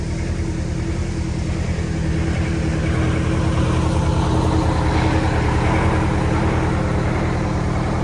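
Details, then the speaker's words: Prevost Marathon conversion bus with Detroit 8V92TA DDEC2 two-stroke diesel, down on power, 15 psi max boost, no codes: heavy drone with rhythmic surging while driving; traced to faulty injectors. "There is no check engine codes on at all. It's really easy to hear that surge."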